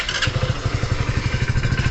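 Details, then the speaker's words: Hero Splendor BS6 motorcycle idling: quick, even tick on every beat, roughly ten per second, like valve gear chatter; owner suspects increased valve clearance; ticking at idle. "और बाकी एक जो आवाज आ रही है valve का clearance बढ़ने के वजह से कुछ माह पहले आवाज अभी सुनो"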